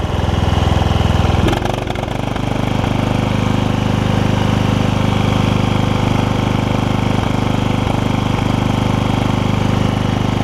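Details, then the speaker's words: 32-year-old Toro Wheel Horse 1232XL hauler, 12.5hp Briggs single-cylinder, after Hipa carb kit and new spark plug: brief stumble then steady, even thump; runs normally, a little better with the new plug. "I'm going to put another plug in it might run just a tad better if I do that so I do that as well all right the plug the new plug got it run a little bit"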